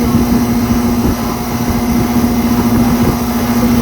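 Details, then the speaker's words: 2024 Ameristar air conditioner with a brand new Trane rotary compressor replacing one that was probably dying: steady, even low hum, constant pitch, no knocking or squeal; unit rattles but noise persists when held; running smoothly. "The sound of a brand new rotary compressor. Brand new train rotary compressor in there."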